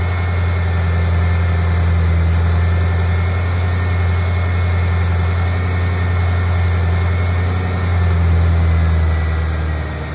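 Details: 2008 Ford Mustang GT convertible V8, cold start and idle before an oil change on quite low oil; deep, steady, smooth idle with no knocking or ticking, healthy.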